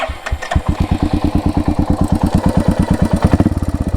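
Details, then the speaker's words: Royal Enfield Hunter 350 hot at idle after riding: about three beats a second with light metallic clatter on each beat; owner suspects timing chain, unconfirmed, worse after 30–50 km. "इसका engine से भाई cut cut cut की बहुत आवाज आती हैद timing के timing चैन की भाई बहुत ही बेकार आवाज करती है यार कट कट कट कट करती है"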